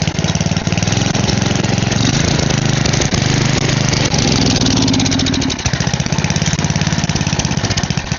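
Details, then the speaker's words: Side-shaft small go-kart engine after a carb jet was cleaned and blown out, choke off: runs rough and uneven, pulse rate wandering and stumbling until it nearly dies; owner thinks the carb is still partly clogged. "Well, I think the carb's gonna need a little more work, so I'm going to pull it back off and check for some more holes that I haven't seen, and I'll get back to you guys after I do that."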